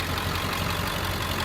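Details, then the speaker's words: 2003 Ford F-550 XL utility truck, 7.3 L diesel, 129,000 miles, warm after about 30 minutes running: steady even diesel clatter at idle, no misses or knocks; idles smooth, revs nicely, normal. "It's been running for about 30 minutes now. It's idling smooth, it revs up nice."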